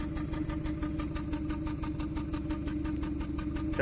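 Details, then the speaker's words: 2014 Kia Cerato, had overheating and cranked but wouldn't start; actuation test isolates an uneven idle chuff to cylinder 1 with no fault code or misfire count. "تفتفة الأول فقط. فهذا شنو؟ عرفنا التفتفة اللي عندنا في السيارة من السلندر الأول، تفتفة من السلندر الأول بدون قراءة عطل،"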